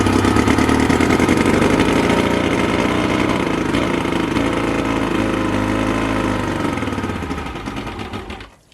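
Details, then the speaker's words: Boat outboard motor: starts and runs briefly with a quick even beat each time the primer bulb is pumped, then sags and dies even with tank vent open; owner suspects it is not getting fuel. "all right so yeah every time I pump it it'll start for a few moments and then it just dies you know what I'm saying so uh it does seem to me like it is not getting fuel"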